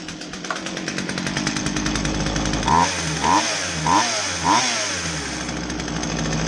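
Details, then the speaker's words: Poulan two-stroke chainsaw that wouldn't start, after removing and clearing the plugged exhaust/spark arrestor screen: high buzzing note holds steady and even with clean consistent firing; running normally after repair. "oh okay so it ran um in you know running great whatever it was a quick easy repair"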